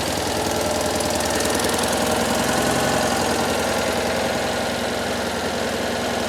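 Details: Citroën 2CV with 6-volt starting, small twin settling into an even, quick, steady idle with no misfire or knock; runs healthy.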